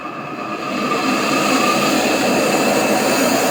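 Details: AEG Öko Lavamat 4100 washing machine spin test stepping through 800, 900 and 1000 rpm: steady rising roar like a distant jet as the drum climbs toward full spin, rough and loud throughout; worn drum bearings.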